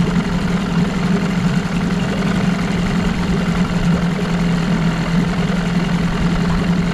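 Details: 1989 Evinrude Yachtwin 6 hp outboard, bought as a parts motor, running in a test barrel: steady low buzzing drone with a faint irregular knock underneath; seller claimed a bad crank and smoking under throttle, suspected worn crank bearings, not confirmed.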